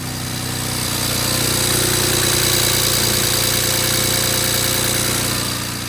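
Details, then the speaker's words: Rebuilt wrecked BMW 335i: idling with a hard, regular knock about three beats a second, heavy smoke, no check engine light; spun rod bearing, engine to be rebuilt. "It's knocking. Oh, dude, it's blown for sure. Pretty much, this thing's kind of done. I mean, it still runs pretty good, but knocks pretty hard."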